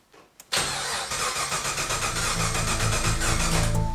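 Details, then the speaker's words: LS3 swapped into a BMW E30, first start attempt: steady starter whirr with even compression pulses, about three to four per second, no firing; cranking to build oil pressure after new sump, oil pickup and remote filter, engine emptied of oil. Normal cranking. "our new sump new oil pickup and remote filter and the fact the engine has been completely emptied of oil means it can take quite a bit of cranking to get good oil pressure"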